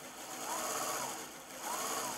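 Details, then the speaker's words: EEW5 spinning wheel: small motor hum with a high whine and a soft squeak about once a second from a seam inside the flyer rubbing, remaining after smoothing other rubbing spots; no good way to remove it. "the remaining bits are sort of there's a little seam inside of the flyer here that's also rubbing and there's not a good way to get rid of those"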